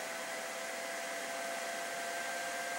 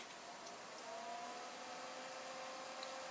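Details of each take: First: PC "Tuxedo" under FurMark load with side intake fans off, exhaust only, front fan cranked up, heading toward 70°C: loud steady hair-dryer rush with thin high whine, CPU fan overspeeding from poor case airflow. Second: PC with NZXT Sentry Mesh fan controller: ten-year-old 80 mm Vantec Stealth quiet fan spinning about 2,000 rpm, steady airy whoosh with faint mid-pitched whine; healthy but adds noticeable noise, temps barely change.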